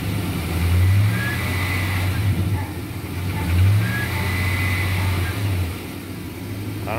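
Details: 2004 Chevrolet Silverado 1500 5.3L V8, whistle began after water pump replacement: engine swells with each rev and a faint thin high whistle rises on the peaks; cause unknown, owner suspects a vacuum line or intake manifold.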